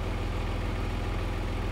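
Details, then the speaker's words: Porsche Boxster flat-six, bought cheap and unseen, idling: low, even rumble with a steady beat, no ticking, knocking or smoke; runs healthy despite an unrelated electrical fault. "I'm serious just sounds absolutely lovely lovely no smoke no alien sounds it just sounds wonderful"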